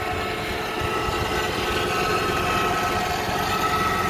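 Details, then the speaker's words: 1998 Honda Prelude H22A4 on first start after engine removal and head gasket, oil seal and timing work: thin steady whine over smooth idle; owner suspects low power steering fluid, noise fades as it warms, no leaks. "first start is I'll take that sounds like I need some power steering fluid"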